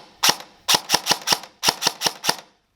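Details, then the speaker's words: Airsoft gun after Gate Titan V3 MOSFET install, reassembled and run on an 11.1V 1450 battery, final test on semi-auto: nine crisp, evenly spaced shots in short strings, clean cycling with no stutter or hang; normal semi-auto firing. "So we've got the gun on semi-auto, and you'll hear that it's nice"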